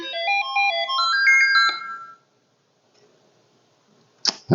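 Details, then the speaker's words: Commodore SX-64 repair with a dead test cartridge running the diagnostic: clear stepped electronic melody rising in pitch, then quiet; SID sound chip works. "I'd like to hear if the SID is okay. And that's a good sign. Okay, well that's good to hear that the SID is going."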